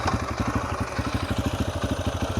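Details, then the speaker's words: 2004 Yamaha TTR125L warm after carburetor rebuild, new plug and air filter, post test ride: steady smooth putt about eight beats a second; idle set slightly low after adjusting down, owner happy, may leave it. "might crank the idle up a little bit. Idle's a little low. I did adjust it back down. So, no, I'm happy."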